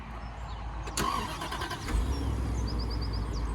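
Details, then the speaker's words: Bentley, previously a non-runner, after repairs, four new tyres and a passed MOT: quick crank, catches cleanly, then settles to a low, smooth, quiet idle with no knocks or misses; normal start and idle. "listen to that purr he did say it just needs driving"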